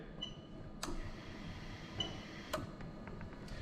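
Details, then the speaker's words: Lexus LS400 1998–2000 1UZ-FE VVT-i engine harness adapted for an IS200 swap, fuel pump relay activated from a scan tool during harness testing: a few sharp, isolated clicks over a quiet background as the relay cycles normally. "all i'm going to do is press this arrow and if you listen out you can hear the relay clicking over there so i'll do it again"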